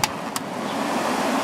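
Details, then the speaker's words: White Westinghouse 8,000 BTU window air conditioner after cleaning, switched from low cool to high fan. Two quick control clicks, then a steady airy fan rush with no rattle or scrape; it runs clean on high. "Air coming out of there smells nice and fresh now, so that's good. Let's go up to high."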